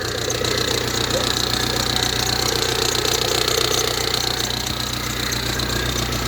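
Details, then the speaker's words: Ford Transit Connect diesel, idling just after a jump start with a Lidl 12V jump pack: steady light tapping about twice a second that follows engine speed. The source is not pinned down, and the alternator is also noted as squeaky. "you hear that knocking sounds horrible doesn't it"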